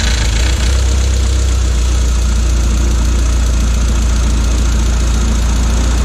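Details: Audi A4 B6 1.8T first start after engine rebuild, temporary intercooler, coolant to be topped up: steady, even idle with dense low rumble and some hiss on top, no clear knock or miss; running normally.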